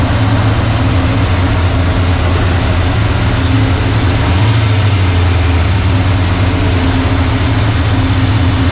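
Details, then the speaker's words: 1985 Chevy C10 Blueprint 350 V8 after sealing off a torn vacuum hose, timing unchanged: deep, steady idle rumble with an even beat, no stumbling or hiss; running a little better. "I went ahead and sealed that one off. It's actually running a little better. Timing is still the same."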